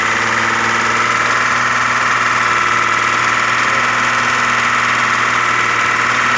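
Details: Audi A6 engine at idle after hydraulic lifter knock faded: smooth, even hum, no top-end tapping; only injector sound remains, old oil was like tar, oil change recommended.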